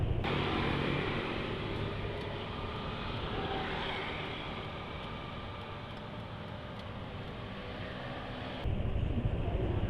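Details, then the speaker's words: Indonesian motorcycle on Pertalite fuel with thick Velo oil, never serviced or carbon-cleaned, second day after 45 km with cooking oil added: even, steady beat with wind noise; engine still smooth, owner thinks it may be due to the cooking oil. "sudah hari kedua suara mesin masih halus tapi mungkin karena ditambahi minyak goreng"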